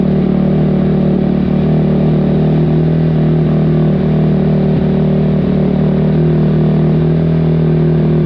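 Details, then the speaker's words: 2005 Kawasaki KX250F single-cylinder four-stroke, first start after carburetor clean (clogged pilot jet), off choke: lumpy, uneven exhaust beat that hunts without a clean rhythm; owner wonders if it's too lean. "it was not ready for no choke [Music] TR yikes wonder if it's too lean"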